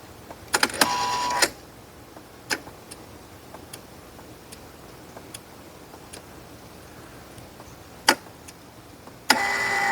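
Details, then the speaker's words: 115 V Kustodian Plus lane machine with squeegee up/down switch error, test output 11: short uneven brake-motor whirs that start and stop, relay clicking between; motor runs only sometimes, later traced to a bad relay and failed neutral wire splice. "The motor's trying to run. I can hear it try to turn. Ooh. We may have an issue with the motor. We may have multiple issues. We don't know yet. The relay's clicking. I can hear the enable relay. Sometimes the motor wants to run. Sometimes it doesn't. Weird."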